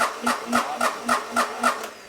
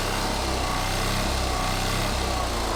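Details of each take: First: Onan MEP-016B military 3 kW single-cylinder diesel generator, not running when bought, cranked directly at the starter solenoid: steady, even cranking about four compression strokes a second with no firing; cranks but doesn't start, fuel delivery from injection pump next to check. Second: Military Onan MEP-016B 3 kW single-cylinder diesel generator, revived, started outside from cold for warm-up: fires up quickly and settles into a steady, even chugging run with no misses or knocks; normal idle.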